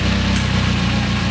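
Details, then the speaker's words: BMW E30 M3 during R134a AC recharge, AC compressor switched on at idle: steady even idle with a firm low hum under compressor load, no hunting or roughness; low-side pressure drops, high side rises over 100 psi. "So now we're going to turn the AC compressor on by turning the air conditioning on. So Dan, why don't you press that?"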